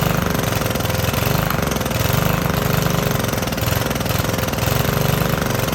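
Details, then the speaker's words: 2015 Cub Cadet LE 100 lawn edger, small single-cylinder, sat unused for years: chugs unevenly with stumbling beat; owner suspects old fuel left in tank being burned off, will run tank dry. "Well, I'll tell you what I think is happening here is we've probably still got a little bit of old shit in the tank and it's trying to burn that out, trying to run it through."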